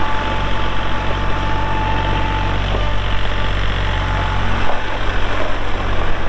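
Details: 2022 Kubota L3901 4WD hydro compact tractor diesel, 219 hours; steady even diesel rumble at idle with no knocks or rattles: normal smooth idle.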